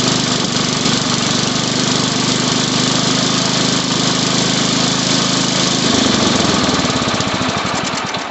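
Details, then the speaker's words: Old Sears Craftsman Suburban 12 hp tractor, restarted on choke after a first richening adjustment and an oil check: loud, rough, uneven run whose note sags and wavers near the end. Still lean; the bottom carburetor screw needs more counterclockwise turning. "It just needs to be enriched a little bit more counterclockwise."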